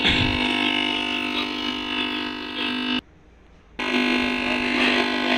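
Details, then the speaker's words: TV audio fault: harsh steady buzz that cuts out for a moment when the input connector pin is pressed or wiggled, then returns; a loose connector pin is suspected, video is also affected, and the planned fix is replacing the pin. "देखिए, मैं pin हिला रहा हूँ तो आवाज़ आ रही है। मतलब मुझे इसमें कुछ लूज कनेक्शन का प्रॉब्लम लग रहा है।"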